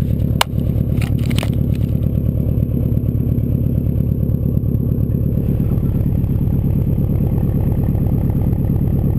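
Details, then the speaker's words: 2002 Subaru WRX wagon, 2.0 L turbo flat-four with stage 2 tune (about 275 hp), idling with exhaust silencer fitted; low, even quiet burble at steady slow idle with no knocks or misses, healthy. "It also comes with a silencer that I have hidden in here. And with the silencer, it is a lot quieter."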